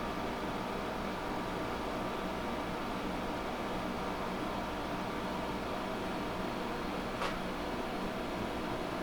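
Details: GE 5000 BTU window air conditioner on low cool: steady, even airy hiss and fan rush with no rattles, squeals or cycling; running smoothly, blowing cold.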